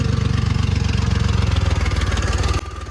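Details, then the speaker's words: 1999 Lexus ES300, about 147,000 miles, serious exhaust and oil leaks, cold start with choppy uneven puffing and ticking exhaust note losing beats; running on five cylinders at most, misfires plus leaking exhaust manifold gasket. "Now that we've established that it has more than a few problems and why it was so cheap, let's go ahead and start it so you can hear how it sounds. More importantly, so I can see which of the manifold gaskets is leaking."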